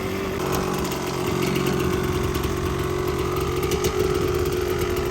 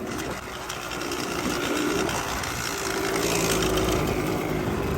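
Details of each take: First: Yamaha Tri-Z two-stroke three-wheeler barn find after a compression test, carb clean, and new CDI and coil: steady, even idle with a crisp buzzy note and no misfire, running well; exhaust pipe sounds slightly loose. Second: Yamaha Tri-Z two-stroke three-wheeler barn find, running pretty good: fast idle buzz with a tinny rattly edge over the exhaust note; owner thinks pipe is a little loose; loose exhaust pipe.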